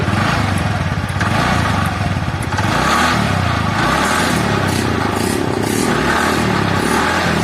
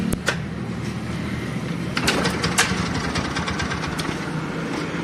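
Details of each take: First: TVS Ntorq BS4 scooter brought in for an odd engine noise, heard after the faulty one-way part was replaced: steady, even idle with no knocking or rattling; engine runs smooth and sounds healthy. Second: TVS Ntorq BS-4 scooter at startup and idle: sharp, irregular clicks and rattles at startup and again around two seconds; the mechanic suspects a failed starter one-way clutch or a loosened part.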